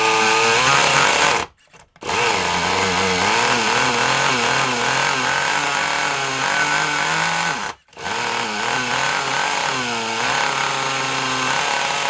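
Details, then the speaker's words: Kyosho Mini Inferno small nitro engine with a single-needle carb, glow heater on, buzzes unevenly with a wandering pitch and cuts out twice without holding revs. The owner thinks it runs rich and tries leaning it; not confirmed. "I mean it sounds a bit Rich let's try it a little bit leaner and see what happens"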